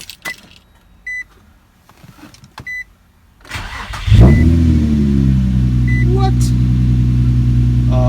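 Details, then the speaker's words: Nissan (Project G) first start after swapping two crossed spark plug wires (owner unsure whether cylinders 3 and 5 or 4 and 6): chimes and clatter, then the engine catches and settles into a smooth, even low idle. Fixed. "just like that boys and girls two plugs"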